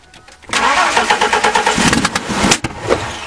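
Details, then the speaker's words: Free 1998 Ford truck cranks briskly about two seconds with starting fluid primed, catches faintly and dies; no fuel pump heard running, fuel pump not turning on. "i don't i don't hear the fuel pump running either just try it try it don't hit the throttle away no he's working the throttle yeah she got no fuel yeah fuel pump's not turning on"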